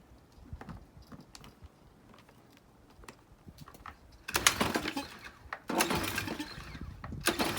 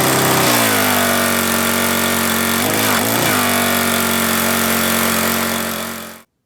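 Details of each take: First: Troy-Bilt pressure washer with Briggs & Stratton engine, stored over winter with fuel left in tank and carburetor, water supply hooked up: three rattling pull-cord strokes that fade without firing; no start, varnish clogging carburetor jets. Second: Troy-Bilt pressure washer with Briggs & Stratton single-cylinder engine, stored with fuel over winter, after troubleshooting, water hose connected: starts first pull and holds a steady, even drone about six seconds; healthy.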